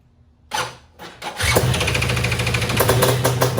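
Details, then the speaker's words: Suzuki LT500R Quadzilla quad after top-end and carb rebuild, new Panthera electric starter on two batteries in series (24.9 V): two short starter bursts, fuel turned on, then it catches and settles into a steady idle; starts quickly. "sounds like it's cranking strong all right now I turned the fuel on"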